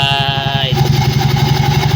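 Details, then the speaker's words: Engine after replacing a bearing that had caused a knocking clatter: even, steady idle with no tapping or knocking, the knock is gone and it runs smoothly. "wala na yung tak taktak"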